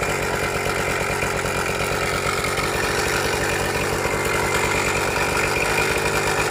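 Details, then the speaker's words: Suzuki Max 100 two-stroke motorcycle, cold start after sitting about 5 years during restoration, only carburettor cleaned and wiring reconnected: rough buzzy idle with uneven rattly beat over exhaust; abnormal engine noise, engine not 100% OK, cause not yet found. "Engine നോക്കുമ്പോൾ ഒരു 100% okay എന്ന് പറയാനായിട്ട് പറ്റില്ല. വണ്ടിയിൽ അബ്നോർമലായിട്ടുള്ള സൗണ്ടുകളും കാര്യങ്ങളൊക്കെ"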